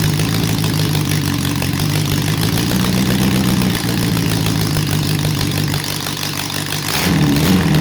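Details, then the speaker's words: Restored Honda CB750 engine first start, dry with choke and oil in cylinders, running slightly rich: choppy, lumpy idle with uneven beat and ragged throttle blip; one cylinder dead, misfiring. "Lovely and quiet, but we've got a cylinder that's out, so hope you enjoy."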